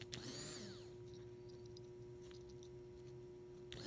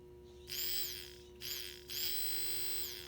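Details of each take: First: 2001 Toyota Sequoia at 217,000 miles that sputtered and would not start; fuel pump run on direct power from a battery charger. A faint hum, then the pump whine abruptly cuts in and holds. The pump works intermittently, then dies, on a bad connection. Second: 2001 Toyota Sequoia: new replacement fuel pump tested on direct power. Short bursts of a high, steady electric whir start and stop cleanly, running normally, unlike the old intermittent pump.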